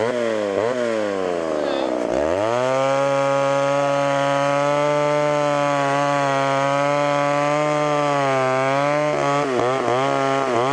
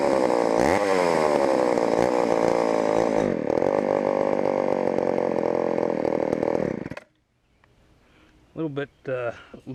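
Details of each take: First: Homelite Super XL chainsaw with a 20-inch bar: it revs to a high, steady buzz that holds evenly under the cut, then drops back. Runs healthy, needing only slight tuning and chain sharpening. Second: Auction-bought Homelite Super XL chainsaw first start on secondhand non-ethanol boat fuel: high two-stroke scream surging and wavering before cutting out; lean on the bottom, needs carb adjustment or diaphragm to soften.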